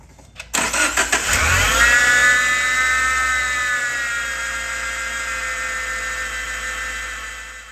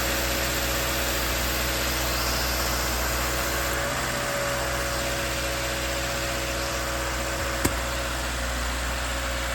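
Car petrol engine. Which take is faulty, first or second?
first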